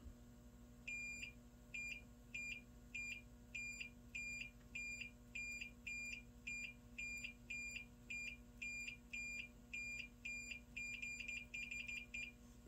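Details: JVC X'EYE switch, removed, disassembled and its internal spring readjusted because it was sticking, tested with clip leads; short high beeps each time the contacts close, about a hundred a minute, so the switch now conducts properly.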